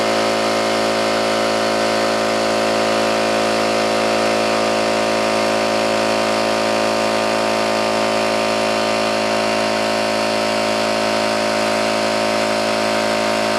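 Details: New oil-lubricated Campbell-Hausfeld air compressor, regulator fully down and drain valve closed, filling tank under load: steady even pumping drone with constant tone, no knocking or metallic clatter; running healthy.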